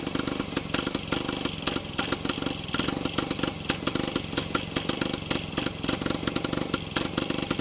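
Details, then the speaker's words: Freshly rebuilt Penguin two-stroke engine on first test run, cranking in forward rotation: ragged popping bursts that catch and fade; nearly running, ignition timing close for forward. "okay so it sounds like it wants to run and that was forward so we'll flip our switch to reverse and try that sounds like our ignition timing is close for forward"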